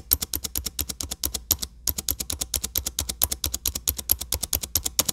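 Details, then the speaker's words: Dell XPS 9570 spacebar: quick sharp clicks with an intermittent squeak on right-side presses; dry spacebar stabilizer pivot suspected. "I will be attempting to fix my squeaky space bar"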